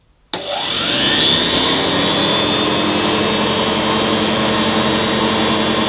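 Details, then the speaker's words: Hoover 725 vacuum cleaner, at least 93 years old, first switch-on at the socket despite a damaged fan: motor spins up in about a second to a steady even whir, constant pitch, no rubbing or grinding; motor runs smoothly. "Oh, I've never been so relieved in my life. Despite the fan being damaged, that motor sounded pretty smooth."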